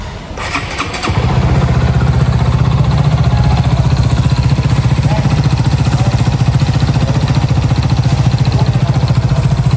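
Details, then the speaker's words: Honda Supra GTR 150 motorcycle engine idling with loud steady rapid knocking from a worn (loose) connecting rod; block and piston found scratched; connecting rod replaced. "Nah, seperti yang kalian dengar, suaranya itu udah gak nyaman buat didengar dan berisik banget guys."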